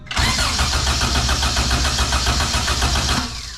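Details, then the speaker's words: H2 race car with GSR engine swap: even starter chug about three or four times a second, never firing; suspected no signal to the distributor, no tach signal, possibly flooded; crank no start. "because it's not even trying to fire it's just not doing nothing"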